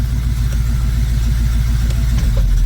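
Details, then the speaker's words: Mostly original two-owner 1973 Camaro during carburetor idle adjustment, in drive under load: low even rumble with steady pulse at about 800 rpm, no stumble or hunting; normal idle in gear. "that's in drive so we're about 800 RPMs let say yeah that's about right"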